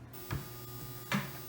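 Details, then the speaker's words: Big iron-core isolation transformer, quiet on mains, run from a modified sine wave inverter: loud harsh steady buzz with coarse harmonic edge and faint clicks from the stepped waveform. "that's not quite that's not so much an issue but it is horribly noisy right now you can hear it buzzing and making this horrible harmonic sound"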